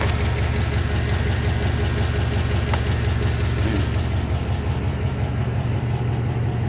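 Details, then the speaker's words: Junkyard 6.0 LS V8 in a 2500 truck after the swap, running a while after first start and burning off oils: steady idle with a light, quick tick over the low rumble. The ticking persists; no leaks, exhaust manifold ruled out. "I still hear her ticking. We're gonna let her just run. I hear her ticking though."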